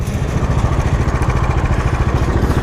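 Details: 2021 Dominar 400 BS6 single-cylinder engine at idle: thumping with a rough, uneven pulse and some extra mechanical clatter over it; abnormal engine noise, cause not yet found.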